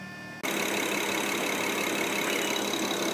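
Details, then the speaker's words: 2008 BMW 535Xi (direct injection, twin turbo) on first start after replacing one failed and one failing turbo, settling into a smooth idle with light, fast ticking on top; normal direct-injection injector noise. "don't be alarmed by that ticking sound you hear that's actually the direct injection"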